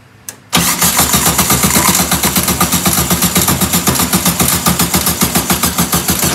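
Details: 1967 VW Karmann Ghia abandoned 45 years: starter cranks evenly about four turns a second but never fires; nothing comes through the mechanical fuel pump, so it's dead and engine won't stay running. No-start.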